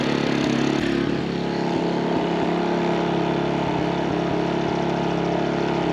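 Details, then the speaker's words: MaxPeedingRods 3200 W inverter generator, eco mode off, at full speed; about 74 dB with exhaust pointing toward listener; steady, even drone, no misses, knocks or hunting; normal running. "we'll say about 74 decibels with the exhaust pointing towards us"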